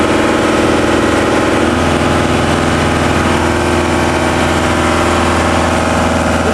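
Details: New, not yet run-in TDME-490 58 hp diesel with 3:1 hydraulic reducer, motorboat sea trial on a cold morning, speed 11 at 2000 rpm under way: steady, deep constant drone, no knocks or misses; runs smoothly.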